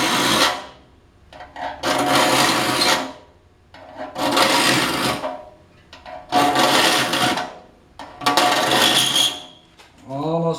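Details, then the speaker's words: Filing a rip saw to sharpen it: rasping strokes about every two seconds with a ringing, buzzy chatter because the saw plate sits too far beyond the saw vise jaws and vibrates. "don't want to get too far beyond the face of your solid ice because we'll start introducing a vibration and one that sounds funny two you're not getting a consistent stroke on your file"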